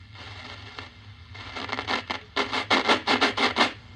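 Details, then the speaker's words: 1940 Admiral 15-D5 AA5 tube radio, tuned in a basement: scratchy irregular rasping bursts as the dial turns; owner suspects the tuning capacitor plates rubbing, not confirmed. "Sounds like the things might be, the banana slicer tuner might be rubbing there."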